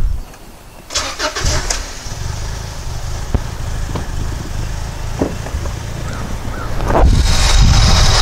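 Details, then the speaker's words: 1999 Honda Accord with a replacement used F23A engine, codes P0108 and P1129 (MAP sensor high output), at startup: it cranks and catches, then settles into an uneven, lumpy idle. Rough idle; an evap hose is suspected, cause unconfirmed. "it runs it idles poorly and throws some codes so I'll start it up and show you what it's doing"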